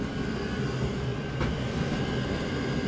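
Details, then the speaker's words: Diesel heater burning hard at full output: steady deep roar with an even hiss, loud enough that any knocking or banging is not distinct. "And when it's really roaring like that, you can't really hear it knocking, like banging too hard."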